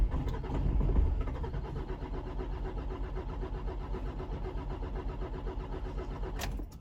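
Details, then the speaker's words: 2007 Nissan X-Trail diesel with a hard-starting complaint: starter churns about three times a second for roughly six seconds without catching; suspected slightly out-of-time timing chain, before repair. "okay so you get the gist of it anyway this is a hard to start she said eventually does start after number of trys"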